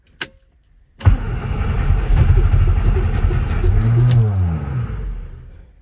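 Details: 1967 Austin Cooper S not started since 2014, with spark and fuel confirmed and choke pulled: quick crank, then the engine catches and runs unevenly, revs swelling and sagging, a stale engine clearing up.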